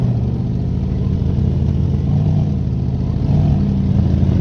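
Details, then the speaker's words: 1972 GMC barn find with a worn-out 350 small-block V8, running after store-bought oil ring seal additive: steady, slightly uneven idle with a dull low rumble while smoking heavily, burning oil past worn rings; additive made little or no difference. "I'd give it more time with the whole ring sale thing but frankly I mean let me ask for so much a bottle um that being said I am going to run it a little bit more it actually started smoking so bad I had neighbors looking at it like what the hell like"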